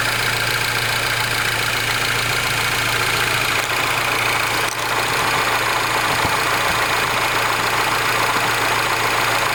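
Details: R56 Mini Cooper S, morning cold start: cold idle with fast light rattling tick, about three or four a second, over a steady hum; abnormal noise when cold, cause not identified.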